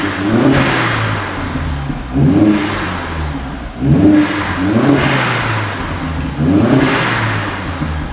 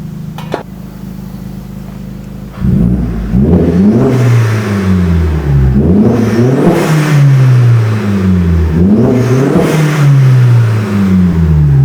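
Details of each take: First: Vauxhall Astra H VXR, first start after fitting a new exhaust: crisp, even revs rising and falling every ~2 s, with a clean, moderate note and no rasp or rattle; sounds perfect. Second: Vauxhall Astra H VXR with rear back box deleted, Cobra decat downpipe and mid-section, before exhaust work: deep booming drone swelling with each rev, a very loud low rumble; far too loud, and the owner wants it quieter.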